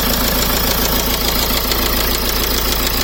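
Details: 2008 BMW E60 520d M Sport diesel at idle: steady, fairly regular knock about twice a second over harsh clatter; engine knocking, cause not identified.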